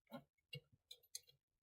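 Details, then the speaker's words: Heating zone valve after the synchron motor was replaced, with heating demand on from the thermostat: faint motor hum as it drives over, then crisp clicks as it latches. Normal zone valve motor operation. "okay so that's good the Z start to motor over now I want it to click then hopefully yes there we go"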